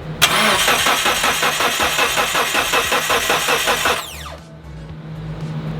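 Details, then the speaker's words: Mitsubishi Evo 8 after resetting the CAS sensor and clearing codes: starter whirs about three turns a second, no firing; code E0335, no crankshaft reference signal at ECU; owner suspects the timing side. "What the fuck? E0335, no crankshaft reference signal at EFI ECU."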